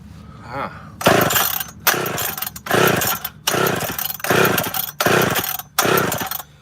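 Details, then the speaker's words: Chainsaw fitted with the carb off another saw, fuel tank leaking, gives repeated short revving bursts each dying in under a second; owner thinks it won't pull fuel, only runs on squirted-in fuel, cause not confirmed. "I don't think she's going to pull fuel so hard work it's bloody up today"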